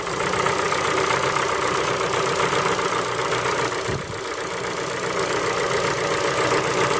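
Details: Ford Focus 3 PNDA engine at cold idle: fast, fairly regular light tapping, about four per second, over the engine hum. A cold-start knock, source not identified.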